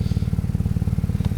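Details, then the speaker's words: 1990 Toyota Celica GT-Four that sat over five years, now moving after a new clutch slave cylinder: at idle a deep hollow chuff on each pulse, suspected exhaust blowing from the middle of the system or manifold; not smoking. "Now as you can hear, there might be a bit of a blow in the manifold or the exhaust, but we can sort that out from the guy who did the Nissan Pulsar GT-IR exhaust. I think it's from the middle. Exhaust is definitely blowing from down there."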